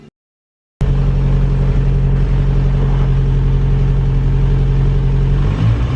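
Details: 1937 Morris 8, 918cc pre-war four-cylinder, first run after fuel and ignition prep, brief gentle warm-up run: smooth, even low putter at steady idle, regular beat about four per second; runs cleanly.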